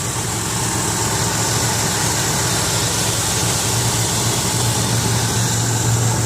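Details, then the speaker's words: 2003 Ford Windstar LX mobility van, 248K miles, believed to be a 3.8 V6, heard under the hood: a steady, even, smooth idle hum with no knocks, misses or hunting. A healthy idle. "I want you to listen to it run underneath the hood I have I believe this is a 3.8 v6 and I old smoothly"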